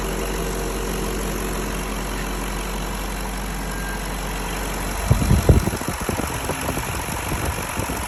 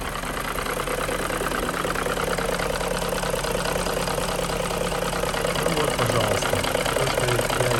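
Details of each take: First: BMW M62B35 V8, fully warmed up, after reinstalling restored VANOS units correctly to cure a knock; steady low idle with brief handling clatter, smooth and even with no shake or tapping: normal idle. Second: BMW M62B35 V8 warm idle after VANOS units were restored and possibly installed incorrectly: steady rattling knock about two beats a second over the rumble; VANOS knocking.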